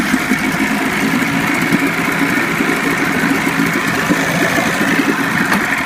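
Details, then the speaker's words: 25 hp Johnson tiller outboard on a Fisher 1448 jon boat, cold start after about four weeks unrun, starter just rebuilt, electric start on choke: steady, even two-stroke burble with quick regular pulse, no knocks or rattles; normal idle. "I'm going to let you listen to it run again it hasn't been cranked in about four weeks it's electric start so pull out the choke"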